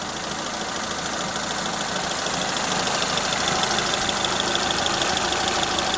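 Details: Toyota Corolla Ceres, 4A-FE engine, C50 manual gearbox: light, fairly even ticking about three times a second over a steady idle; owner unsure whether a valve or camshafts are knocking, plus slight corrugated exhaust pipe leak.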